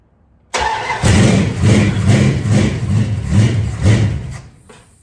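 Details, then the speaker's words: 1973 Dodge Dart Swinger, cold, with no choke, held running by hand. It suddenly catches into a lumpy, uneven run at about two pulses a second after the ignition timing was advanced step by step until it fired. "Usually when you see that, you need a little bit more timing, so I'm gonna keep advancing the timing until she fires off."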